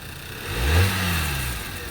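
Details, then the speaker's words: 2011 Volkswagen, started with a jump and moved forward and backward. The engine picks up smoothly in a short rev and settles to an even, steady note with no knocks or rattles; normal, sounds pretty good. "sounds pretty good."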